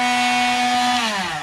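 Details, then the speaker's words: Drill Doctor sharpening a split-point drill bit: a steady high motor whine with a light, even grinding that lightens up, then the pitch falls as it spins down. The bit is being ground evenly. "so now you can hear the grinding kind of lighten up"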